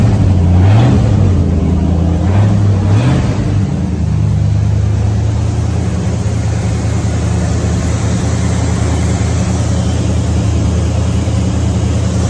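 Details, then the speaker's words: 1970 Ford F-100 pickup with Mexican-block V8, first start after sitting a while with fresh gas: a couple of blips, then deep, smooth, even idle with no knocks or ticks; quiet, healthy engine. "I think he's a great old motor really good motor that's quiet"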